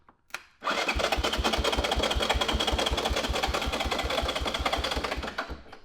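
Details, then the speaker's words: 1983 Honda ATC 200E 200cc three-wheeler, non-running purchase, new battery fitted, no fuel yet: electric starter whirs with even compression pulses about four a second; engine turns over freely but never fires. "we're gonna see if this electric start works hey that's promising"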